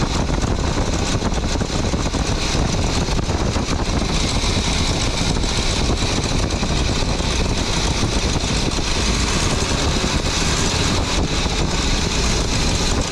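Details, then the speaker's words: 23-foot Birchaven motorhome V8, Quadrajet carb, after 12 years stored, warming up, oil pressure good, less smoke, coolant leak owner suspects from heater hoses: steady, even idle, no knocks or misses under noisy background; sounded pretty good, normal idle. "Sounded pretty good."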